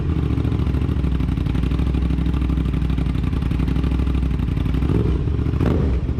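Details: Aprilia RS 660 just after installing a new DNA air filter: steady, even idle with a smooth blip of revs near the end and no knocks or rattles; the engine runs normally.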